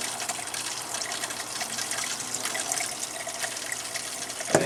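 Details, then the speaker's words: Water hisses out in uneven spurts and gurgles at a camper faucet after the failed Surflo 2088 pump was replaced with a Surflo 4008; air is still in the lines, the camper sat three years, and the owner suspects debris. "I think I'm going to have to blow out my lines all the way up to the showerhead like it might have some debris in it or something for it to spit out like that"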